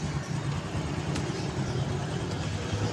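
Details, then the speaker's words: Honda Karisma single-cylinder with heavy exhaust smoke and fast oil consumption, piston later found fine: steady, even low putter at idle with no knocks or ticks; engine sound smooth and normal. "suara mesinnya halus normal Hai masalahnya cuma satu ngebul knalpot ngebul sehingga olehnya cepat habis"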